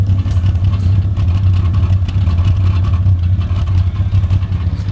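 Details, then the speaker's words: 1995 Toyota Land Cruiser 80 series: revs fine but the idle surges and sags and won't settle, with black smoke; vacuum leaks were checked. The owner wonders whether a previously faulty PCV valve is to blame; cause unconfirmed. "It revs fine, it idles okay like this, but it is sort of fluctuating in RPM. It doesn't sort of sit at a nice spot."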